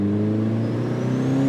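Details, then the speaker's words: NB Miata turbo build on a tuning drive, just after the wastegate was found fitted incorrectly and fixed: steady rising engine pull at part/low throttle with a clean turbo whistle spooling in quickly; spool strong and normal. "the fact that we could actually hear it spooling that quick with that like low throttle"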